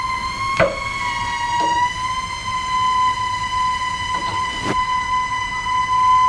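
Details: Household plumbing squealing whenever water runs, with the kitchen faucet left running: a steady high whistle near 1 kHz plus handling knocks, caused by the pressure control valve; a small adjustment and shutoff-valve cycling eased it.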